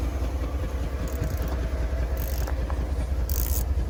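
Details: Chevrolet S10 fuel-system project after a mouse nest in the valve cover, idle screw turned up after it died: low, steady idle pulsing at about 100 beats a minute and holding without stalling; normal idle.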